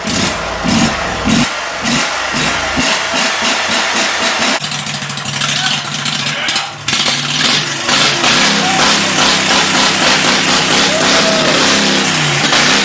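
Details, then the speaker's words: 2006 Mud Buddy HD Mini surface-drive boat motor, 23 HP Briggs Vanguard engine, about 14–16 years old, just fitted with a Backwater Performance X-Flow Lite muffler replacing the stock one: cranks, catches and settles into a loud, raspy exhaust note at steady revs, running clean. "Well, what we put on today was the Backwater Performance X-Flow Lite Muffler."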